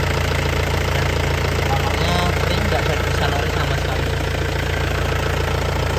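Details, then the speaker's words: 2003 Isuzu Panther Touring Turbo manual diesel: steady even idle with low regular beat, no misses or knocks, no smoke or blow-by, engine dry with no leaks; normal healthy diesel idle. "Ini masih stabil tidak pincang. Ini suaranya enak renyah. Kalau mesin sehat seperti ini, Lur."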